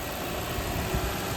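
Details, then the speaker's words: Lexus LX470, warm, after misfire repairs: fast, steady idle with a busy, even hum, no roughness, down from 1200 rpm versus a normal 600–700; runs fine but idles high, owner suspects the throttle body/IAC. "it's running fine it's just idling a little high"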